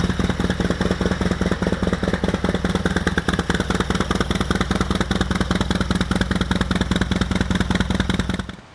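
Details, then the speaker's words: Harley-Davidson FXR with stock Keihin CV40 carburetor, petcock turned off to drain the float bowl before carb removal: loping V-twin idle about 150 pulses a minute holds steady, then cuts out suddenly as the bowl runs dry. "here on your petcock turn it off go ahead and fire the bike up and just let it idle until it dies"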